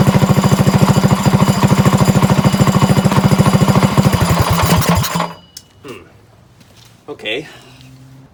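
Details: Trike small engine, pull-started with a little gas: hard, regular knocking about three a second until it shuts off; the owner was unsure whether it was top or bottom end, and it was later found to be the clutch.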